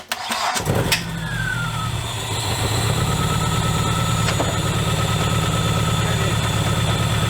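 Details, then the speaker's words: Dodge Neon ACR with MAP and knock sensors reconnected: cranks, then uneven stumbling idle; misfire suspected from a leaking fuel injector found on the rail, not confirmed. "now it's got a little miss uh when I pulled this old injector off the rail it uh it was leaking"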